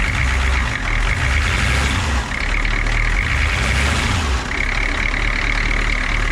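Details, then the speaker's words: Humvee diesel after a valve cover gasket replacement and re-tightening of the spitting lines: a deep, steady idle clatter, even and unbroken with no hunting, so it runs healthily. "yeah actually I'm tighten that bolt right there but yeah she's running"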